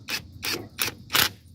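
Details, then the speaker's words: Worx WX272L Nitro 20V impact wrench on low speed with an extension, spinning lug nuts back on: four quick, sharp rattling hammer bursts about a third of a second apart as the nut seats, so the user stops. "soon as we hear that first couple of quick rivets, we're gonna leave it alone."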